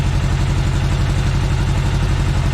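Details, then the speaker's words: Segway Villain side-by-side at about 10 degrees after replacing leaking primary clutch engine seal: loud but steady low idle with even pulse, no rattles, squeals or misfires; running fine, naturally noisy. "Other than that, the unit's running fine. Sounds good."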